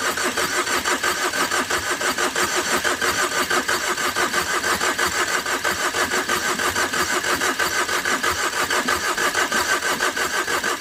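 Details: Overheated Tata Vista, radiator hose knocked off in an underside impact: long, even starter cranking at about ninety turns a minute never catches; owner says it has compression but suspects a blown gasket and a ruined engine.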